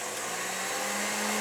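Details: Tilt-head KitchenAid stand mixer just fully rebuilt with a rebuild kit after losing power and sounding rough: smooth steady motor whir with an even hum, no knocking or grinding; running like new.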